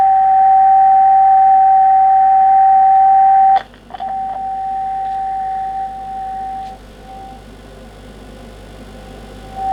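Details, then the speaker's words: Kenwood TS700S 145 MHz all-mode VHF transceiver, receiver check with generator at 1 µV on 145 MHz, SSB: clean steady whistle near 800 Hz with brief tuning clicks; upper/lower sideband rather precise, S-meter reading nonsense; receiver working normally. "it's remote upper side bend when i go to lower side bend it is rather precise"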